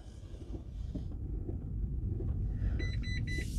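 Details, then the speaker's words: 2012 Mitsubishi i-MiEV electric car stuck in turtle mode, creeping off in drive: low motor hum then three high beeps, possibly seat belt warning; warning chime, source unclear. "don't know if it's beeping at me for seat belt we'll put seat belt on for safety"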